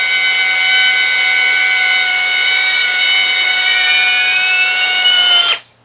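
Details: GEPRC Tinygo 4K RTF drone, new, armed and given throttle: steady high motor whine at full power creeping higher in pitch before cutting dead; motors run away on throttle, fly-away hazard, cause suspected.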